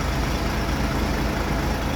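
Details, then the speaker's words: Volvo 400 hp SmartEco truck diesel, idle lowered from about 600 to about 500 rpm for long parked idling: very slow, steady, deep even rumble with no misses or knocks; normal low idle, charging about 28.8–29 V. "เสียงรอบต่ำมากก็ถือว่าโอเคครับผมรอบรอบเครื่องยนต์มาแบบต่ำมากนะ"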